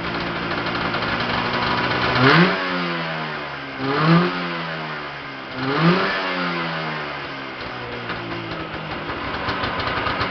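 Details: Yamaha Enticer 340 two-stroke on its first start after a rebuild with Wiseco pistons, hot rods, a custom forged balanced crank, Wiseco bearings and a Uni filter: raspy idle and three clean blips, no knocking. Runs healthy but smoky.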